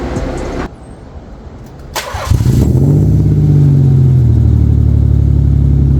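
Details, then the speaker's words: Nissan 300ZX Z32 (VG30DE), cold start after rebuilt stainless exhaust with mufflers: brief crank, then steady deep even idle, no ticking or rasp, far better than before; normal cold start. "Okay, so it sounds okay. Granted, this is a cold startup. Sounds a lot better than what it used to."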